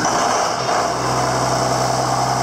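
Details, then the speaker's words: John Deere 7410 tractor, first start after a 10–12 hour rebuild, in park: it fires and settles into a steady, even diesel idle with a smooth low drone, no knocks or misses. Healthy. "There it is. There it is. She runs."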